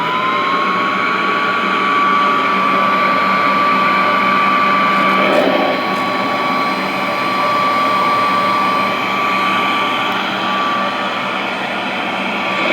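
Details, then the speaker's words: Vintage Royal 153 vacuum motor just oiled, running with the belt disconnected so there is no tension while oil soaks into the bushings; smooth steady whine, even pitch, no rubbing or grinding, motor runs freely. "But this one, actually, I just oiled it, and so what I'm going to do is disconnect the belt, because what I want to do is keep any tension off that motor and let some oil get down in those bushings before I try to start it up. So let me let it run for a bit with no belt."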